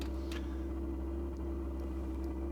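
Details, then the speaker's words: Vevor diesel workshop heater, first start cycle at about 0–1 °C: deep steady thudding drone from the burner; owner suspects it is overfed with too much diesel in the combustion chamber. "donc là on entend effectivement vous voyez le bruit sourd ça veut dire qu'il est gavé et qu'il y a trop de gasoil dans la chambre de combustion"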